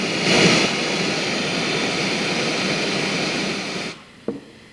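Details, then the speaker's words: 1971 JCPenney 1758 solid-state stereo stored decades in an attic: loud steady hiss in the right channel, varying with volume, virtually none in the left; likely a failing amplifier stage. "so i hear a lot of noise over on the right channel there's virtually none in the left channel there's a lot of hiss in the right channel it's really pronounced"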